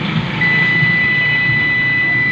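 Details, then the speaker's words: Premius 24 V P2400 UPS inverter showing fault 0 when switched on; steady high beep near 2 kHz over faint hum; six burnt IRF3808 MOSFETs and failed SG3525 IC found inside, to be replaced. "तो दोस्तों fault zero fault आ रहा है अंदर ना, ये असी ऑन करते हैं और जीरो फॉल्ट पे चल"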